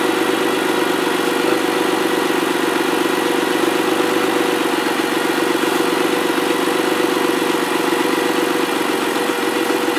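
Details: Ford ST200 V6, first run after head gasket and timing chain repair: a steady, even idle hum with no knocks or rattles. Healthy.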